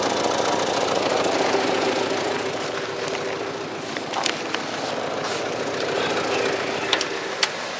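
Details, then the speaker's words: 1995 Cadillac Fleetwood Brougham, cold start at idle: uneven chugging pulse about three beats a second over a steady hiss, not normal; owner suspects a hole in the muffler or exhaust leak, not confirmed. "from yeah so that is a weird sound that it makes it shouldn't make be making that chugging noise you hear that yeah that sound isn't normal I think there's a a hole in the muffler or something"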